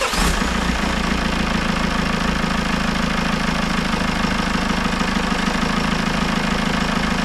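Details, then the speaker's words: Citroën C4 Grand Picasso 2.0 Blue HDi 150 diesel, after head gasket failure and engine refit, no overpressure after 20 minutes: fires straight up and holds a steady, even clatter at idle with no hunting or missing; normal idle. "je va juste vous la démarrer une fois pour que vous rendrez compte que ça ça tourne très très bien"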